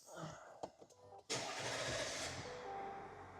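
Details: 3.0 Duramax diesel right after first oil change, oil cap refitted: starter crank, diesel catches at once and settles into steady, even idle with no knocks; normal start.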